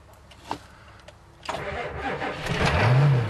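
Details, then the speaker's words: 1990 Ford E-350 Goshen bus, 7.3L diesel, cold start on second try after glow plugs and with battery chargers added: clicks, then starter cranks, engine catches and settles into a rising steady clatter; clean start once battery boosted. "It is alive. Very alive, very alive. We have contact."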